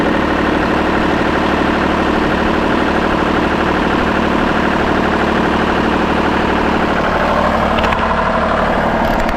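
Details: Kubota KX033-4 excavator diesel at its 1000-hour service, just after a fuel filter change and bleeding: catches and settles into a steady, even idle with a firm low rumble and no misses or knocks; normal.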